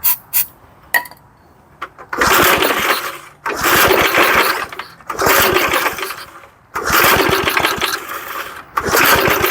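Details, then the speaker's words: 1975 Murphy's 20-inch push mower pulled from a long-neglected shed: repeated cranking bursts with sputtering catches that never settle into a run. Starting fluid is added, and low compression from sitting is suspected but not confirmed. "let's get a little laughing gas to put in there to help it out because I'm sure the compression is down on it from sitting"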